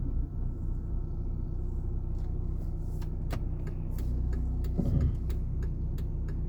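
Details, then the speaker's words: Volvo XC60 T6 six-cylinder turbo with loud engine noise at idle: deep steady rumble with faint, uneven ticking, diesel-like clatter; owner suspects a collapsed (unloaded) hydraulic lifter, not confirmed. "Olha o barulho lá da Volvo aqui, ó, XC60. Parece que tem tipo um tucho descarregado. Tipo um barulho de carro diesel."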